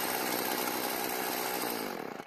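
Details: Stihl FS36 two-stroke trimmer after storage, carburetor L screw turned about half a turn counterclockwise to stop idle dying: steady, even idle with no surging; runs properly after adjustment.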